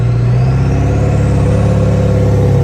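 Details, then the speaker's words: 7.3L Powerstroke truck after new injector cups and Full Force Diesel 180/30 single-shot injectors replaced split-shot ones: deep, even diesel rumble pulling steadily under acceleration, no knocks or misses. Normal, healthy diesel running. "It's got a real nice rumble to it. It sounds like a real diesel truck."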